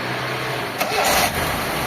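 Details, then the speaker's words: Mitsubishi Lancer, 4G15 or 4G13 engine: brief start then a smooth, quiet idle with no grinding; normal idle. "Tahimik na mga bossing oh. Tanggalin natin yung fan mga boss kasi maingay yung fan."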